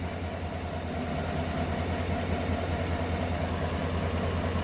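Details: 2018 Chevrolet Tahoe V8 idling with an uneven, lumpy beat and dropped pulses; codes P0300 random misfire and P0208 cylinder 8 injector circuit, cylinder 8 injector not firing on test, after spark plugs were changed and injector cleaned.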